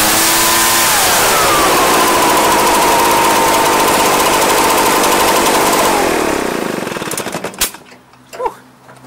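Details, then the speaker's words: Echo PB-755ST backpack blower two-stroke that died under load, after fresh fuel and carburetor adjustment: loud high-pitched scream held steady at full throttle about six seconds, winds down cleanly; pulling strongly. "we've started screaming right there's nothing wrong with this screaming right but you do that at your own risk don't want to override the engine so what I like to do is I like to get it to a full full power"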